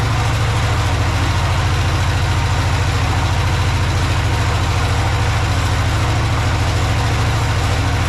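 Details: Project tractor's small engine, fed fuel from a Lucas oil additive container into the hose, with a slightly leaking fuel pump diaphragm. A low, steady thrum of about three and a half firing beats a second with no misses or surging. Normal idle.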